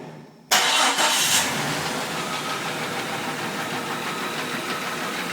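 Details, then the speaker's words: 2000 Jeep Cherokee 4.0 used replacement engine with new rockers, springs, pushrods and exhaust gasket: fast light metallic ticking at idle, worse when revved; top end, owner suspects collapsed lifters, not confirmed. "when you rev it up it actually rattles even more we've eliminated that it's the bottom end it's definitely in the top end so we're going to put a new lifter to lifters in it and see what happens"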